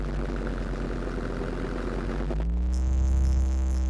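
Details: Land Rover Defender TD5 diesel idling, just after radiator work, with the mic placed at the snorkel air intake where the noise is loudest. A regular tapping about four per second rises with a throttle blip. The cause is unknown; the most likely suspect is faulty hydraulic lifters.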